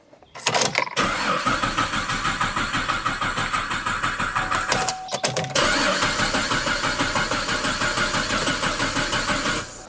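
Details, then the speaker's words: Cadillac with fuel pump removed: cranked a few times to build oil pressure, steady starter cranking about three turns a second without firing; cranking no-start. "I'm going to go ahead and crank it a few times and let pressure build up and uh and we'll go from there."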